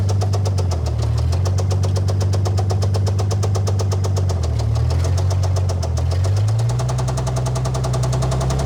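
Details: Old Dodge Power Wagon flathead on a 12V coil, no cooling system: low lumpy idle with a steady sharp knock every turn above the exhaust; rod knock from worn rod bearing.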